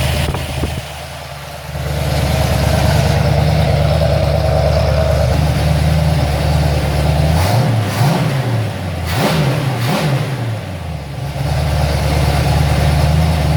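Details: Ford XC Fairmont 351 V8 on engine running stand, Thermoquad carb just fitted, settings and choke unfinished, smelled very rich; steady deep idle, quick blips rise and settle cleanly — normal idle and revving, runs well though not perfectly tuned.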